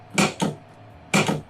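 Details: Solenoid on an 8 Relay Board Manager 1.4 setup firing normally after testing: two sharp, crisp double clacks about a second apart, clean and solid. Of the 8 solenoids, 3 are dead and 5 are kept working.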